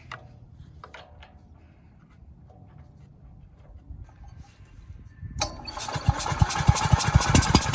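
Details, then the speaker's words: Ridgid 5700 generator, Yamaha MZ300 engine, oil added down the cylinder as a wet test: quick uneven cranking around 2.5 pulls a second, never fires; most likely not rings, probably compression loss from exhaust valve with no clearance and carbon buildup. "As you can see, it's still not starting. So that tells me it's most likely not the rings, it's probably the valves themselves."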